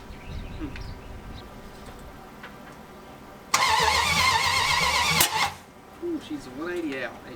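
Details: 1980 Dodge short-bed big block during cam break-in on points distributor, first run in 14 years; catches with ragged roar under two seconds then dies, hard starting, points ignition suspected as finicky.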